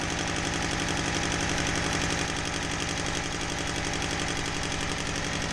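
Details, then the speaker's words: Honda Civic D16Y7, spark plug leads accidentally unplugged: loud lumpy idle with uneven chuffing about four pulses a second, running on two of four cylinders; cracked exhaust manifold leak also suspected. "okay it's going to run so much better on four cylinders instead of two surprised it even started and ran on two cylinders it's impressive"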